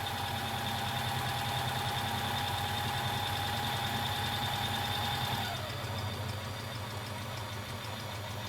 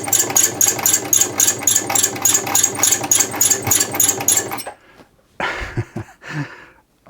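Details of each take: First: Bernette 50 sewing machine after servicing and lubrication: even, fast mechanical chatter with steady hum easing off partway, no squeak or knock; runs smoothly. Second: Bernette 50 sewing machine running at about three and a half stitches a second, clattering harshly from lack of maintenance and lubrication, before a service with oiling.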